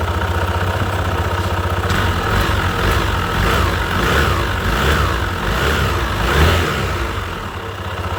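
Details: Honda PCX 160 after replacing the drive belt, weights and slider pieces at 33,000 km: starts and revs up and down in smooth swells with an even drive note, no belt slap or rattle, and is quieter than before.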